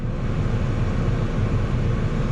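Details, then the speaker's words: Citroen C4 Grand Picasso front heater blower after replacing the faulty motor with a correct secondhand part: steady low whooshing with even airflow, no rattle or squeal at high speed; fix confirmed, normal operation. "yep that's definitely working so it's a confirmed fix"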